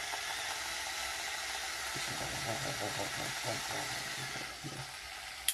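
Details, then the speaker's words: Proxxon rotary tool test run before bearing replacement, after new cable soldered; high steady motor whir with rough rattling grind, bearings worn out: worn bearing noise. "And I don't know if you can hear it, but the bearings are definitely toast. They're really making the engine go crazy."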